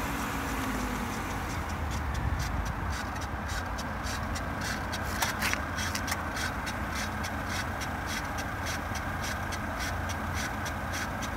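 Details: Volvo at cold start idle: fast, rhythmic, raspy grinding heard from the right front wheel well over the engine.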